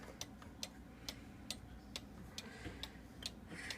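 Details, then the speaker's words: Repaired cuckoo clock, damaged in shipping, bellows refabricated, pin adjusted after it struggled to keep time and stay running: crisp, even ticks about every 0.43 seconds, steady beat, no stumbling; running properly again, normal ticking. "Also, this clock had a hard time keeping time. It didn't want to, I set the pin a little bit, it had a hard time staying running. It sounds good again."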